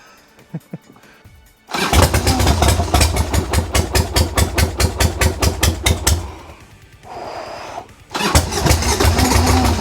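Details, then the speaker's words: 1990 Harley-Davidson Sportster 1200 after 10 years in storage, old gas drained, battery swapped, new plugs: repeated cranking with uneven firing pulses, almost catching then dropping away, lots of smoke; owner suspects fuel, possibly carbs needing more cleaning. "that's the closest it's been this start for over 10 years so we're on the right path there's so much smoke there's so much smoke"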